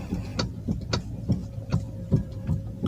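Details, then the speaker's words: Toyota Alphard stationary, steering wheel turned left and right: dull uneven clicks two or three a second over low hum, also felt over rough roads; cracked damper rubber in the power steering motor. "pertama kita coba dengan kondisi kendaraan diam dan setir di belokan kanan kiri seperti ini ya terdengar suara klerk ya"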